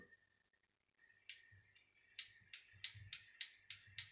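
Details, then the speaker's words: Miele S5211 vacuum cleaner motor during rebuild: sharp, crisp clicks about three a second as the armature turns, from a damaged commutator bar; owner had reported arcing and sparking sounds. "hear that clicking my customer Dave mention that there was an arcing and sparking sounding man well that's what that chance bar is"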